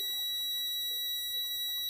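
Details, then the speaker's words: Bike electric horn being retuned by loosening its adjustment screw: thin, steady, high-pitched buzz that never rings into a full note; still mistuned, screw needs more loosening. "फिर चेक करते हैं। और थोड़ा लूज करना पड़ेगा। थोड़ा और लूज कर लेते हैं ताकि सही आवाज़ हो जाए इसका।"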